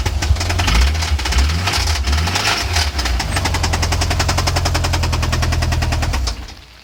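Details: Mitsubishi Lancer Evo IV: sharp, rapid knocking about three per second over a rough, lumpy idle, coming from the engine. Cause not yet known.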